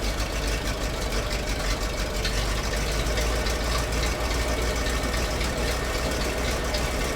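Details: ZIL truck crane abandoned 20 years, first run after oil top-up; engine settles into steady, even low idle with dense rumble and no obvious knock, running fine.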